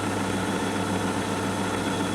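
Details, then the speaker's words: 1962 Sony TC-521 reel-to-reel tape recorder, thrift-store find: steady low hum with dense even rubbing rustle while running; noise attributed to old hardened rubber idler wheels, playback otherwise fine. "now there we go that's what's making all that noise is these old hard rubber idler wheels"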